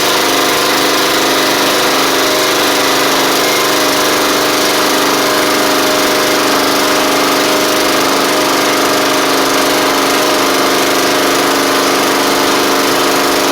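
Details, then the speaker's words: Troy-Bilt Pony mower with swapped-in Briggs & Stratton flathead (replacing Powermore; new Briggs carburetor, 12.5hp air filter), final test with hood back on and fresh oil: steady, even drone at constant speed, no knocks, surging or rattles; normal running. "oh w oh that's good that's really good actually"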